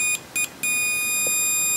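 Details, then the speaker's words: Lidl multimeter for about 10 €, continuity and diode test on a combined range, probes shorted: a few short chirps, then a clean, steady high tone that holds without dropping out; normal continuity beep. "hat ein kontinuierlichen Ton und reagiert auch so."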